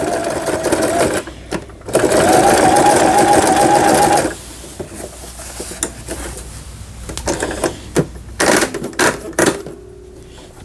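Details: 2002 Toyota Simple 10 home sewing machine after repair of thread-breaking problem: quick, even run of needle strokes for about two seconds, then quiet handling; stitches smoothly, normal sewing.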